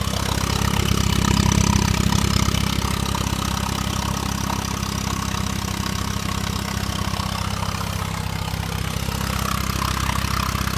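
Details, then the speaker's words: 2002 VW GTI 1.8T at idle: loud raspy hiss and puffing over the engine beat, like escaping gas near the turbo; persisted after new manifold, exhaust manifold and turbo gaskets and flex pipe; suspected exhaust leak, owner felt air at turbo oil return line flex, unconfirmed; low power. "So I have this noise coming from my GTI, but I cannot figure out what it is."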